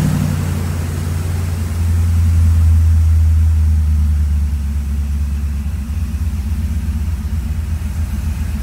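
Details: 1978 Corvette C3 restoration with newly installed FiTech EFI, ready for test driving and tuning: deep, steady V8 rumble holding an even idle with a slight early swell, no knocks or misses; sounds healthy.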